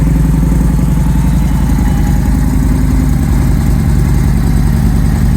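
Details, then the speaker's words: Victory Jackpot V-twin motorcycle, 878 miles, stage 1 Bow X exhausts, idling: deep, loping, even V-twin rhythm with no knocks or ticks; runs nicely and smoothly; normal idle. "Runs really nicely, smoothly. Nice deep throaty sound."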